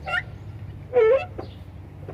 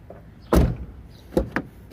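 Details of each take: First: VW Gol G5 door: a wavering high-pitched creak each time the door swings, several in a row; dry door hinge needing lubrication, other door also creaks but less. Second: VW Gol G5 door after greasing to cure its noise: the door swings and latches with a few clean dull thumps and no creak or squeak, normal door operation after the fix.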